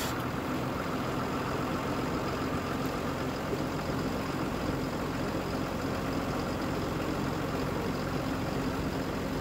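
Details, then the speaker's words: Rebuilt 6.7 Cummins diesel (2008–2016) tow truck, ice cold at fast idle after a valve adjustment, CCV filter and valve cover gasket job: steady, even, smooth low rumble with no knocks or misses; normal idle. "running smooth Hing like a kitten I tell you that's she's ice cold has no air little fast idle action she's warming up"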